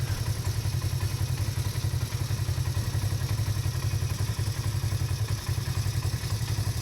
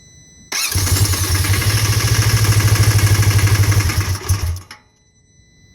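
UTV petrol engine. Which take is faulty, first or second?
second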